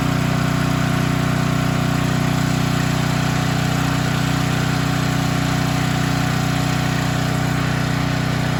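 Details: Storm generator that would not start after running out of gas and refueling; fired up after carburetor work (float needle had stuck open and spilled fuel): small single-cylinder engine with a steady even beat and smooth low thrum, no misses or surging; running normally.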